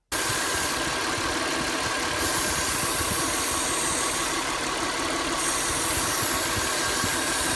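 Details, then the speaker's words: Car engine at idle with a constant airy hiss that doesn't change; typically from a cracked or holed vacuum hose, or a cooling system leak, usually with the check engine light on; vacuum leak. "این صدا معمولاً مربوط میشه به نشتی سیستم خنکش کننده و نشتی سیستم خلع خودرومون که تو این صورتم معمولاً چراغ چک هم روشن میشه"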